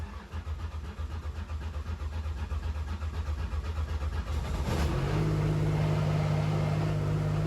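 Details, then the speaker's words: Metro 6R4 Group B rally car with 52 miles on the clock, cold start in neutral after priming the fuel pump to good fuel pressure: starter cranks evenly about four times a second, engine catches and settles to a steady idle. Normal start. "There she goes. Listen to that. I love this car. I love Group B rally cars."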